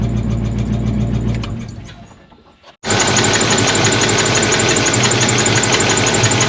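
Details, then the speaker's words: Car engine not run in 17 years, just started after coolant refill: cranks, catches and idles with steady light ticking about three per second and a miss; owner suspects an oil-starved lifter, will pull valve cover. "What it sounds like to me is a lifter star for oil. I think I need to pull the valve cover and make sure we're getting oil up here up top because it sure sounds like or sounds like one starved."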